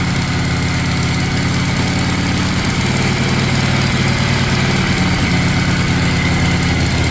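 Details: 1956 Harley-Davidson FLH with Bendix carburetor, first kick start after restoration, not yet broken in: heavy, slow, loping thump with an uneven beat, keeps running but sits too low; low idle.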